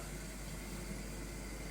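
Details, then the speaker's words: Schaublin 102N-VM lathe after cleaning the dirty drive system, first run: low, smooth, even hum from the spindle drive with no knocks or grinding; the power feed and gearbox remain stuck. "So, it's finally time to see and hear the machine running. Everything sounds"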